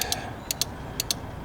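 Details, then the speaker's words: Crisp paired relay clicks as a tester checks the internals of a relay from a 1.4 Mk6 VW Golf with no start, no crank and no comms; result comes up good, nothing wrong with that relay. "and that comes up as good so nothing wrong with that relay is there"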